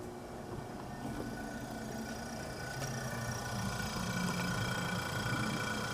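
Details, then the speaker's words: Vintage Westinghouse fridge compressor started on its own built-in start relay: a low, steady hum with a faint hiss of gas moving through the lines, drawing 2.8 amps; the start relay works properly. "2.8 amps so the start relay obviously work properly i hear gas blowing through there which is good"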